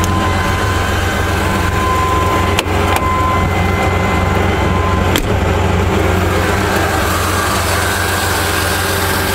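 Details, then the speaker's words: 1995 Chevrolet S10 petrol engine with manual transmission, cold idle at startup, heard under the hood: smooth, even low hum with no squeal or whistle; vacuum-leak noise appears only at operating temperature, later traced to a bad TBI base gasket. "that as you could hear under the hood it's perfectly fine no noises any weird stuff like that"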